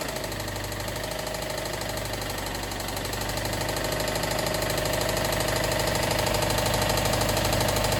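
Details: Subaru WRX STI engine idling with a sharp, steady knock about two and a half times a second; loud internal engine knock requiring engine removal.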